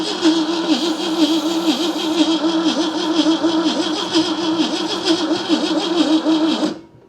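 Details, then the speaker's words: 1971 AMC Gremlin sitting since about 1984, after trying closed choke: steady starter whir for about seven seconds with no firing, then cuts off; crankcase vapor visible, battery running dead; cranks but won't start. "I'm gonna burn the starter up. Got some crankcase vapor coming out over there."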